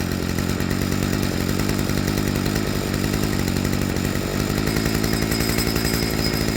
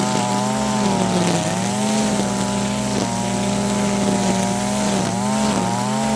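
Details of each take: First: Stihl FS55R two-stroke trimmer after a carburetor swap, with the low-speed screw set just rich of peak idle: it holds a steady, even buzz with no hunting or surging and gives an immediate wide-open throttle response; a normal idle. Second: Stihl FS55R two-stroke trimmer after a HIPA carburetor swap, at wide open throttle cutting grass. Buzzy note burbles and dips instead of cleaning up, so the high-speed mixture runs rich; the high screw is then turned in 1/16–1/8 turn.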